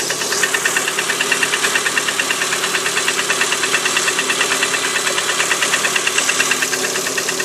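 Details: Lada Priora 126 engine, cold idle on a 10 °C morning: sharp regular metallic knock about three times a second; piston slap, knock disappears with cylinder 4 coil removed; repaired, no knock afterward, sold at 100,000 km.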